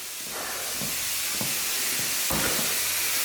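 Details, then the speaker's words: 1971 Oldsmobile 455 V8 after timing and carburettor tuning around 1200 rpm: loud steady hiss with spitting surges of steam as coolant boils past the radiator cap from overheating; owner suspects the thermostat failed again. "The pressure in the radiator overcame the radiator cap. I bet that thermostat failed again."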